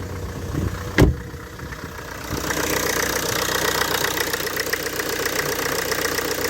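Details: Mk2 Ford Focus after drive belt and tensioner replacement, first start (slow crank, battery light still on): one brief clunk, then a steady even idle with no belt squeal or chirp; front end quiet.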